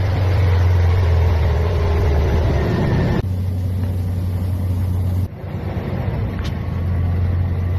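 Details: 2006 Ford F-250 5.4 Triton after timing chain repair for P0022 and chain rattle: steady, low, even idle hum with no rattle, ticking or misfire stumble.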